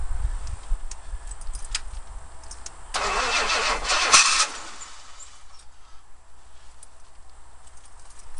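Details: Oldsmobile Cutlass with carburetor being pumped, generator light flashing: starter churns the engine roughly for about a second but it never fires, crank no start.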